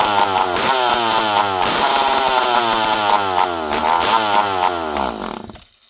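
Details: Poulan 5200 Countervibe chainsaw, unrun for 5-6 years, before carb screw adjustment: fires, revs up and down cleanly in rising and falling bursts, then shuts off; starts and runs.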